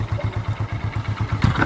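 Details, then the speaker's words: Hero Glamour 125 single-cylinder motorcycle, about 20,000 km, heard from a distance: even thump about nine beats a second with a quick rev near the end, mechanically quiet, no clatter; normal running. "onun dışında motor çalıştıralım sesini dinleyelim Anahtar nerede üstünde ver sessiz çalışıyor uzaktan"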